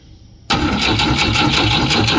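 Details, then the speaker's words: Newly bought Volvo B20B cranked on the starter before first start attempt, plugs gapped too small; steady cranking with evenly spaced, equal-strength compression pulses, no skips; compression sounds even. "That's going to be fun to fight, but it does crank. Sounds pretty even compression wise."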